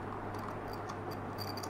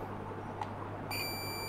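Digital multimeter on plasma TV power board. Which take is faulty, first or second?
second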